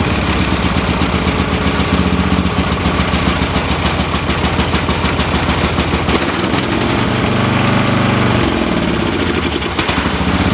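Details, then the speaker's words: Late-1980s/1990s lawn tractor small engine running uneven and lumpy, surging and sagging, only holding on choke after carb cleaner sprayed in; carburetor gummed and plugged, safety switch also needs replacing. "okay the good thing here is I know it's going to run the bad thing is the carburetor is plugged and I just got to replace the safety switch here and I think this machine will go"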